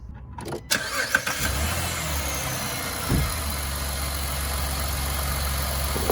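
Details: 2011 Dodge Nitro 3.7 after idler pulley replaced and serpentine belt refitted: brief crank, then smooth even idle with no belt squeal or chirp; healthy running.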